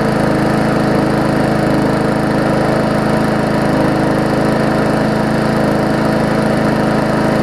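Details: Murray 3.5hp Classic push mower after extensive service, first test run after priming: steady, even single-cylinder beat at constant speed, no misses or surging; smoke clearing, only a little oil in the muffler; running smoothly.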